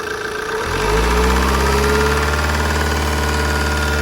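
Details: Opel Insignia 2.0 CDTI 160 hp diesel settling into idle: quick, fairly regular tick about four per second over the clatter. Lifter tick suspected, not confirmed.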